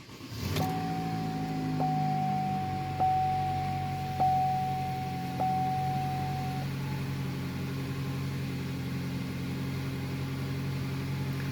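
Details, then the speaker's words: Car just after fitting a Dorman part and reassembly, codes cleared: fires and settles into smooth steady low idle; chimes early, then even quiet hum, no check engine light. "So far the engine hasn't blown up from the Dorman part. So far it seems to be idling pretty good and no check engine light indicating that I might have forgotten to plug something in."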